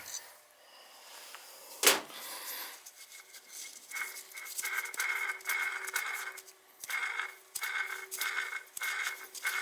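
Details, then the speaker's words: Gas boiler circulator pump gives a wavering high squeal in uneven bursts heard throughout the house; its bearings are gone, not air, since the zones were recently bled. "Just the bearings are gone, you can hear it."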